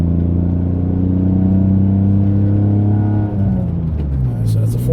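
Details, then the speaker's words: Mitsubishi 3000GT SOHC with gutted cats, driving: the deep exhaust note climbs through the revs and drops at the shift, now pulling cleanly past 4000 rpm where it previously stalled out; shifting at about 4000 rpm. "just when I go over the 4000 mark just sit there 500 now it's good shift right at 4 grand so can hear the sound"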